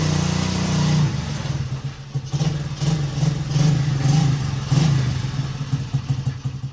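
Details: 1977 Honda XL75 single, long-stored, first start on one kick, carb uncleaned, choke on: short repeated rev blips dropping back to idle, picks up cleanly; runs pretty good, not smoking, float bowl seeping, bowl gasket suspected.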